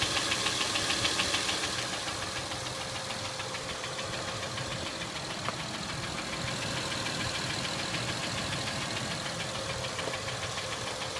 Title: acura mdx engine ticking noise sounds